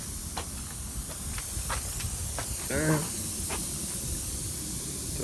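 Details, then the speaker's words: Screw just pulled from a tire's tread puncture: steady, sharp hiss of air escaping through the hole, holding at one level — tire air leak, to be fixed with a string plug kit. "There's the hole. You can hear the air coming out. That's the screw out."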